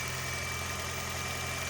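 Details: 2020 Toyota Corolla hybrid, 481,000 miles, original hybrid battery, replacement non-spec 12 V battery, started after sitting 3 weeks in cold garage; smooth even idle with steady hum while warming up, no knocks or misses; normal warm-up idle.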